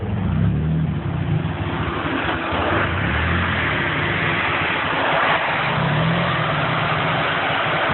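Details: SR20 red top at about 61° water temperature: uneven idle that swells and sags every second or two as it cycles, air-fuel ratio bouncing between about 11.4 and 10.6, close to stalling; rough idle.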